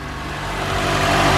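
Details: Even, steady run that grows slightly louder, with no knocking, grinding or misses, on a 2007 Honda Accord right after a new starter was installed; no engine light, normal idle.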